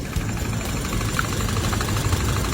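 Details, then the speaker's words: Petrol engine idles with a deep, uneven, shaking throb from a misfire; throttle cleaning and oxygen sensor replacement at five shops did not fix it. "this engine vibrates like crazy the owner of the car has gone to five repair shops cleaned the throttle replaced the oxygen sensor cleaned the entire vehicle's oil lines"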